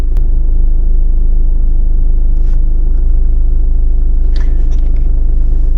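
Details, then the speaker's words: VW Golf while driving: a heavy, low rattle pulses about four times a second under the cabin rumble. Owner suspects the flywheel and clutch need changing, plus a possible passenger-side gearbox or driveshaft problem; not confirmed. "It might be drive shaft that's just causing that noise to rumble. But I can definitely hear the flywheel now. Rattling like crazy."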